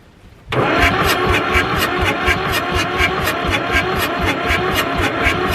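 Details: Ford 4000 diesel tractor, fire-damaged and sitting 20+ years with a faulty injection pump, bled and gravity-fed at full throttle. Steady starter churn at about four compression pulses a second with no firing; it cranks but won't start, and diesel was later found leaking.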